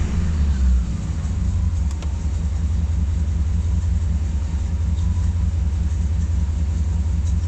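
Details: Corvette C4 V8 after crankshaft bearing replacement: deep idle rumble with a steady throbbing pulse about two to three per second; something abnormal below, cause not pinned down.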